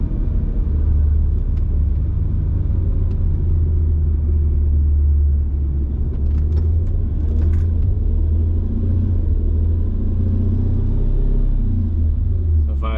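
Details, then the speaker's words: Mercedes C55 AMG, manual, after a crankshaft position sensor change, now worse: a steady low rumble holds near 2,000 rpm, falling back to idle only when the clutch is depressed and let out slowly; revs hang, cause unclear. "it's basically like revving up to 2,000 RPM now and going and then I have to basically like depress the clutch and let it out slowly"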